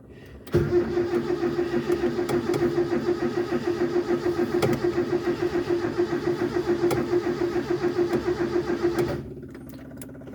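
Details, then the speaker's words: Mk1 Ford Escort with carburettor, unrun for over six months, fuel pump slow: steady, even cranking about three and a half turns a second for nearly nine seconds with no firing; cranks but won't start yet. "I guess that's a no right now"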